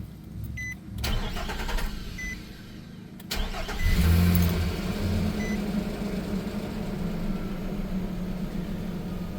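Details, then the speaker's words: 2015 Nissan Frontier 4.0 after alternator replacement: quick crank catches cleanly into a smooth, steady idle, no knocks or squeals, no battery light; normal start and idle. "No more battery light. Good to go. One more final inspection. Everything's back on. Engine's running nice and smooth."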